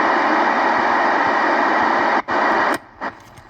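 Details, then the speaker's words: Honker linear RF power amplifier between radio and dummy load: steady hiss over the receiver with a faint rapid pulse that drops away when the amp is switched off. Amplifier injecting noise; should be silent. "We're picking up something from this thing. You know, that's not good."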